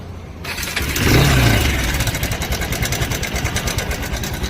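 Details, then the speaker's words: Bajaj Pulsar 220 with broken timing chain tensioner: after starting, a fast uneven metallic rattle about three a second rides over the idle; mechanic warns valves could break if ignored. "એ હોનો અવાજ છે તે તમને બતાવું ખાલી. આનો અવાજ છે. આ જો આ તૂટી ગયું છે ટેન્શનર છે."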